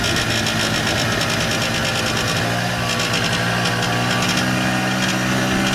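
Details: 1994 Polaris Xplorer 300 4x4 after a top-end rebuild: steady buzzing tone over the engine beat at certain rpm ranges, with or without the primary clutch, driving or stationary; nothing obviously rubbing or vibrating; cause not pinned down.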